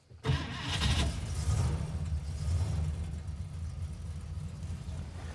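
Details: 1964 AMC Rambler Classic after new oil filter, air filter and dry fuel filter, primed with gas: brief crank, catches almost immediately, settles into smooth steady low idle; normal start.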